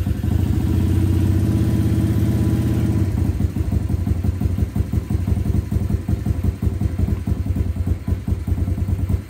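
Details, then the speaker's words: SSR125 single-cylinder pit bike, first start after rebuild with compression restored: loud rev dropping to a steady even idle putter, no clatter. Slightly smoky (owner suspects valve seals or residual oil); not idling quite right, needs bigger pilot jet. Normal idle. "quiet it sounds pretty good it sounds so much better than it did"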